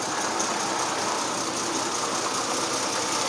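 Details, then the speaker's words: Restored Plymouth truck, manual 3-speed, with a rebuilt engine: quiet, even running with a steady smooth hiss and no knocks or misses; a healthy idle that fires right up every time. "Fires right up every time. Can barely hear it running. It's an amazing rebuild on the engine as well."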